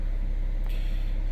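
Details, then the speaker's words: 2009 Chevy HHR 2.4L that started then died from running out of oil (failed PCV, stuck cam actuators): after adding oil, with oil now reaching the cam actuators and air purged, a smooth, even idle with no ticking or stumbling. "Got oil up in that cam. Everything's working. Got the air out of it. Got the air out of it. Now everything's working."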